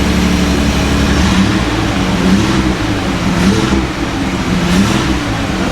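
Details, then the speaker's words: Datsun 280Z barn find off road 18 years, after injector work, not yet at temperature; revs up and settles evenly, no knocks or misses, smoky cloud likely excess fuel in tailpipe from running rich; normal revving. "It's running good though. Clear it out."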